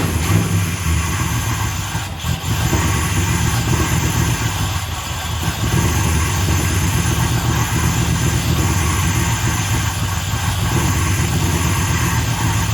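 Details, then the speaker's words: 1965 Plymouth Satellite with a new Edelbrock AVS2 800 cfm carb replacing a 1407 750 cfm, no choke, mixture screws out 1.5 turns: loud rough uneven idle with a rushing hiss; vacuum leak from an unplugged hole at the back of the carb. "that sounded like a massive early you know vacuum leak wasn't the uh intake it's the back of these carbs they got a massive hole in the back right"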